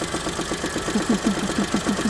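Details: Daewoo Matiz 2008: warm idle carries a quick, regular tapping of about nine taps a second. It runs perfectly cold and the knock appears as it warms; valves already adjusted without effect, cause unclear.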